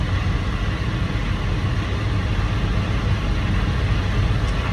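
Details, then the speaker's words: Air-brake truck during monthly maintenance inspection, engine running, listening in the engine compartment near the air drive, passenger side: steady diesel rumble with no hiss; no air leak heard on this side. "all right I don't hear anything on this side let's go uh let's check the driver's side"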